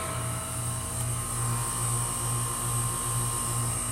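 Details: 2008 Goodman and 2015 Lennox Merit Series heat pump outdoor units running in heat mode, slightly frozen but not in defrost: steady low hum with soft fan whir and even tone, normal heat pump operation.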